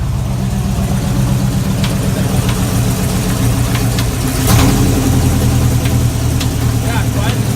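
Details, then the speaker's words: Chevy 350 V8 race car at a rough idle: sharp metallic bangs at uneven intervals, not tied to engine speed, worsening over time. Suspected bullet or foreign object in a combustion chamber slamming against the head; teardown needed. "That noise in there is just not good, and it was faint in the beginning, and it's getting worse and worse. Dude, there's a bullet or something in your combustion chamber and it's slamming against the head. That's what that noise is."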